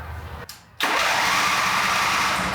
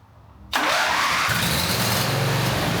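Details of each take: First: John Deere Z425 zero-turn mower engine during repair: short pause, then steady, even cranking whir with no firing; cranks but won't start, fuel coming out but not reaching the top, fuel-delivery part sticking suspected. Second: John Deere Z425 zero-turn mower engine after cleaning the sticking fuel-delivery part: silence, then it catches in one go and settles into a steady, even putter with no misses; starts and runs normally.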